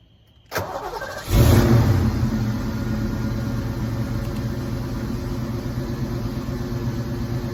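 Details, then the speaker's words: 1986 Mustang SSP after new spark plugs and wires: quick crank on restart, catches cleanly, then settles to a steady even idle with no misses; normal start and idle. "oh I think it's I think it's all right for now and now it just idle back down a little bit but I think that's where it's supposed to be"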